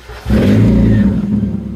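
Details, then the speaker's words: 1990 NA Mazda Miata, OEM exhaust fallen off, running a poorly done straight pipe with no muffler; revs blip and drop with a harsh, crackly, raspy exhaust over the low drone. "it's quite raspy sounds terrible but honestly the rice are in me actually loves it so I don't want to quiet it down too much but this is what it sounds like"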